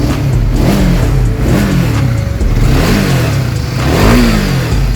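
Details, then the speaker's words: 2021 Honda CBR150R after fixing engine clatter caused by a very slack timing chain beyond tensioner reach: revs rise and settle cleanly with throttle, no rattle or clatter; engine now runs smooth. "Motor ini sudah siap digunakan, suara mesinnya halus."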